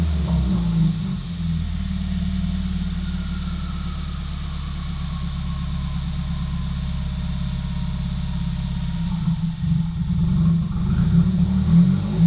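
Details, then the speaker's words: 2019 Subaru WRX at idle, dropping to about 1,000 rpm: uneven booming thumps about two a second, then revs spike toward 2,000; something reportedly sticking and leaning out the engine, O2 sensor then adding fuel; rough surging idle. "You'll hear it, it's like boom, boom, boom, boom, boom, and then the revs spike to like 2,000 RPMs."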